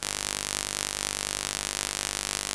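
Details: Canon EOS R6 recording with external mic plugged in while USB-C power cable connected: steady electrical buzz with fast even pulsing, interference in audio.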